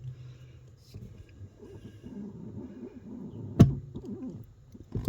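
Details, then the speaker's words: New Bendix Ultimate 4WD brake booster (U4WD-BBLC80), engine off: quiet creaking, then one dull clunk as the pedal goes down and gets easier; cause unknown, no clunk with the engine running, but the pedal still travels close to the floor. "And then once it goes clunk, it gets easier."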